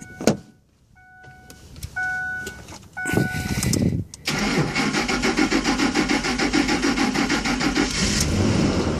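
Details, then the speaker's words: 2003 Ford Expedition XLT 4.6, cranks but won't start, no check engine light: alarm chimes, then steady cranking with uneven catches that fire only on starter spray, so no fuel is arriving; fuel pump or relay suspected. "started but it goes up so what that means is that there's no gas going into the fuel injector"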